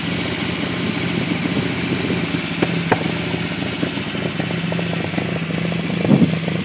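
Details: Unimog 404 first start after new fuse boards and a rewire: steady, even low drone with no knocks or misses, smooth idle; engine sounds healthy, normal idle.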